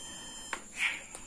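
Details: Multimeter continuity test on a car's brake/tail lamp bulb ground wire after repair: a single clean, steady high beep with no wavering where before it warbled; the ground circuit now shows good continuity.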